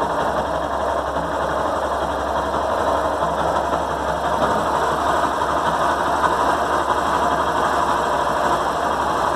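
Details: Yamaha Fazer 150 after replacing the faulty battery and rectifier that stopped it starting: single settles into steady, even idle with a light mechanical patter, no misses; sounds healthy.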